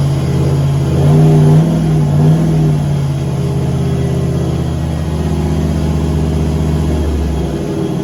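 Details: Turbo LS V8 Caravan with 4L80E automatic, warm, headers baking off: engine spins up and holds a high steady drone at light throttle without load dropping it; 24% throttle, 4000 rpm, only 45 kPa (idle ~40); owner suspects transmission slippage, fluid checked.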